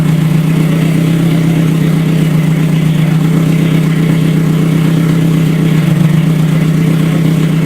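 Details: Toyota 3S-GE engine swapped into a Scion FR-S, first start after rebuild, not yet dyno-tuned: steady, even low drone with a regular beat and no knocks or rattles; engine runs.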